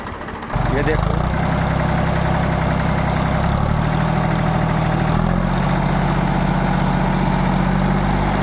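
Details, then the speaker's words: Tractor diesel engine idling after pump setting fixed and head work done: deep, even beat settles right after start and holds steady, no knocking or hunting; sound no longer changes after running warm, takes load well, good pickup – normal idle. "देखो यह आवाज है load भी सही ले रहा load नहीं और थोड़े चलने के बाद इसकी आवाज चेंज हो जाथ अब देखो बिल्कुल चेंज नहीं"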